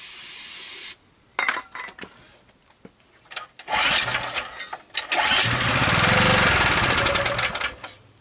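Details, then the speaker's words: Abandoned 2 kW generator with full oil, running on starting fluid: several pulls give short coughs, then it catches and roars briefly before dying. Suspected not pulling fuel; carburetor fuel supply to be checked. Engine runs briefly then dies. "it seems to run on the starting fluid and then it dies"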